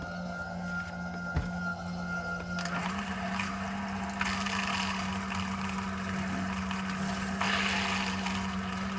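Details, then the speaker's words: Suburban IW60RL on-demand water heater with recirculation loop in a 2021 Alpine RV, hot tap open after recirculating pump replacement: steady low pump hum with gurgling, hissing water as trapped air bleeds from the lines; quiets once air is out. "Still working a little air out. You'll know because it'll stop making those noises."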